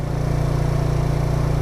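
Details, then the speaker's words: 2020 Tao Tao 50cc GY6 scooter after clutch rebuild (clutch plate sticking slightly): small single buzzes at a raised steady speed after throttle release, slowly dropping back to idle; owner suspects a carburetor vacuum leak causing high idle. "That's because there's a vacuum drive leak in the carburetor, or the carburetor vacuum just isn't working very well."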